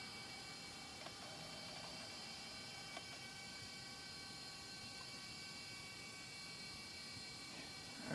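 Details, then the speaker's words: Junked laptop, 1 GHz Pentium III with 256 MB RAM, at boot: steady high whine with thin pitched tones and the odd faint tick, louder than most older 3.5-inch drives; owner suspects a very old or heavily used hard drive. "be a very very old hard drive or a very used one at least listen laughing it's louder than most of the three and a half inch drives i have the older ones at least"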